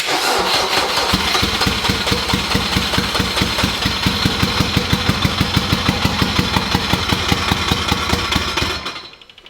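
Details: Boosted Honda K20 swap: the throttle body snaps fully shut and needs setting slightly open. Rough, lumpy idle with an uneven chuff about three times a second and a steady hiss on top; one cylinder seems to drop out. Misfire suspected, not confirmed.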